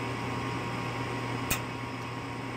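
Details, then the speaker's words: Evcon Coleman furnace calling for heat with 24 V measured at the gas valve and the flame sensor cleaned: a sharp ignition click over steady blower hum but no gas lighting, retrying before lockout; failed gas valve. "but this point I'm thinking it's my gas valve I've got my two wires here I've run to my gas valve and when I take a reading on them with the multimeter I'm getting my 24 volts the right sequence"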